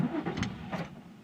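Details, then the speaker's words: 2003 Nissan 350Z, about 140,000 miles, no start after replacing bank 1 and 2 camshaft position sensors with aftermarket parts; engine fires roughly for about a second then dies; dealer sensors later fixed it. "once in a while it'll fire for like a second and then it'll like no spark"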